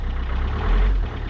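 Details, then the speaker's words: Peugeot 407 2.0 HDI diesel just after fuel filter replacement and priming: steady, even low idle with a smooth beat, no stumbling or hunting; normal idle. "As you can see, no hustle at all. That's how easily it's done."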